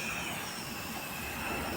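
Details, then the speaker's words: Mini gas-operated fogging machine at startup: the fitted gas cylinder valve is opened slightly to the left before lighting, giving a steady, even hiss of escaping gas. Normal gas hiss at startup. "దింపిన తర్వాత start చేసేటప్పుడు first ఇది cylinder open చేసుకోవాలి. లైట్గా left సైడ్లో తింపాలి."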